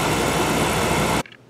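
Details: Dunkirk Empire 2 oil boiler (installed 2000), refilled after domestic hot water coil replacement: steady loud burner roar without pulsing, rumbling or sputter before cutting off; firing cleanly and normally.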